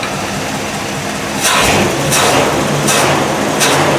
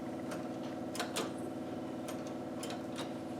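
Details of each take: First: 1955 Buick Century, first start after carburetor rebuild, plugs and plug wires not yet changed, electric fuel pump: steady idle after a few sharp bursts, sitting at about 580–600 rpm and won't set lower; high idle speed. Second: 1955 Buick Century after a carburettor rebuild, just before its first start: the electric fuel pump primes the carburettor with quiet, uneven light ticking over a soft hum, working normally.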